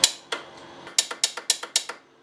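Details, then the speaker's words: Polaris Xplorer ATV after starter replacement: sharp dry clicks, about eight in two seconds, with no cranking. Starter relay suspected, clicking but perhaps not making the connection. "relay could still be bad to even though it's making it noise maybe it's not making the connection"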